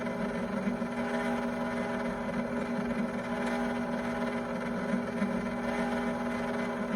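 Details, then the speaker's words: Cuisinart ice cream maker churning a very thick chocolate mix: constant high droning hum at steady pitch, loud for a small kitchen machine; loud motor noise, owner is considering returning it. "So my concern is how loud it is. It's so loud, I am considering returning it."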